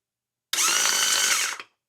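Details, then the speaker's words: MerCruiser trim pump from a '96 Bayliner, tested on the bench after replacing the solenoids. A short, steady high-pitched motor whine in both up and down directions with fluid pumping; the motor and pump are good. "Solenoids are working. Both directions now, and that means the motor's good. I could hear fluid pumping, so as far as I can tell, the pump's good."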